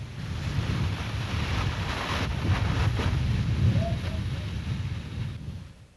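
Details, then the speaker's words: Late-1980s Buick wind noise: steady airy whoosh with gusty swells fading near the end, from air passing over the vehicle exterior; wind rush. "windrush is a whoosh that occurs from air passing over the vehicles exterior"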